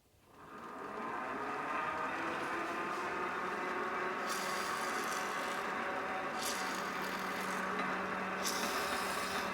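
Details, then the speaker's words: Creworks 8x16 mini metal lathe, motor running slowly with cover off, just after chain lubricant applied to the metal change gears: steady, even gear whir, much quieter than before lubrication, no grinding or knocking; normal gear train running. "on there we go you can already tell this thing is much quieter"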